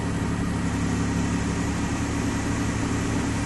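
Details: 2003 Chevy Trailblazer LTZ 4.2 inline-six idling after a rusted fuel pump replacement, checked underneath for leaks. A steady, even low idle with a smooth drone and no knocks, misses or whine, healthy.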